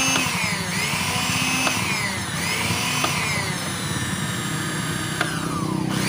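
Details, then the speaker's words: Wongdec turbo-power blender after repair of a stiff, seized blade shaft (oiled, ring and gear refitted): strong steady motor whine with smooth pitch swells as load shifts, no grinding or catching; spins normally. "ฮะโอเคหมุนได้ปกตินะครับยอดเลยนะครับ"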